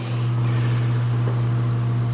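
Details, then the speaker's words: Circa 1948–1950 Hunter CG-16 industrial fan, oscillator mechanism lubricated, powerful enough to drive the oscillator: strong, steady low hum with constant pitch, no rattle or scraping; normal running. "well it's not crazy it's really not crazy you used to hear that sound all the time there those things running"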